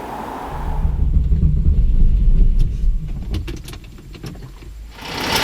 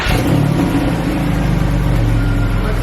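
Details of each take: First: Porsche 911 flat-six running really rough after cold days, with the engine management light on: a lumpy, uneven idle from a misfire on one cylinder bank. Six fault codes were read, and the ignition coils were replaced. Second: Porsche 911 (996) flat-six idling smoothly and evenly on all six cylinders after a misfire was fixed. A steady low hum with no stumble or missing beat.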